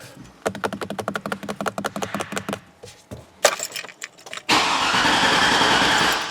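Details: GMC Yukon Denali after a replacement salvage-yard PCM, before the GM 30-minute security relearn, security light on: the starter chugs steadily at about three turns a second but the engine never fires. Crank, no start.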